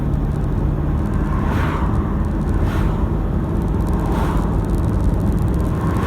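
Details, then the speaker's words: Toyota Hilux diesel after injector replacement, road test accelerating from a left turn to about 60 km/h: steady low rumble under road noise, no rattle or knock; normal running, no injector rattle. "while you're listening i've just accelerated this high lux from turning left to about 60 kilometers an hour and i don't hear a rattle at all whatsoever"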